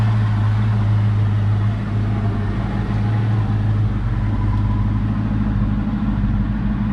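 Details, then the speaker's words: 2004 Mustang Mach 1 V8 with 60,000 miles, new fuel pump, air intake refitted after running very rough without the mass airflow sensor: steady, even low rumble with no misses, knocks or ticks; normal idle. "all right i put a intake back on and it seems like to start perfectly"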